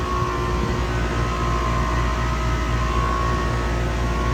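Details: Trane CGAM air-cooled chiller, circuit two compressors A and B under load: a steady, even drone with no knocks or rattles. Water is 51°F entering and 46°F leaving against a 45°F setpoint, with 114 suction, 405 head, 14 subcooling and 12–13 superheat. Running normally.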